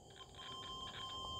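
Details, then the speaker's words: Float switch check in 1/3-phase water pump motor control cabinet: steady high-pitched continuity tester beep across the two float switch wires, showing the wiring down from the roof is intact. "มึงจะได้ยินเสียงนะครับอ่าเนี่ยนะครับผมอันนี้ก็แปลว่าสายใช้ได้ปกตินะครับถ้ามีเสียงนี้นะครับผมสายที่ลงมาจากชั้น3คือใช้ได้ปกติไหมนะครับผม"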